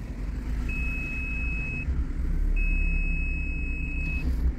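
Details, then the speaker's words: Retrofitted VEGA VGS24 parking sensors falsely beep continuously in reverse with the engine running and nothing behind the car; probably caused by the power wires run beside the sensor cables, fixed by rerouting them. "Jetzt fahre ich rückwärts. Hört ihr das? Da ist aber gar nichts hinten."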